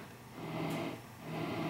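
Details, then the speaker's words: Peavey XR684 PA head before service and cleaning, left monitor side: constant soft hiss on speaker output with nothing playing; noisy channel, cleaning planned. "know how that's coming on there but there's definitely some hiss going on there"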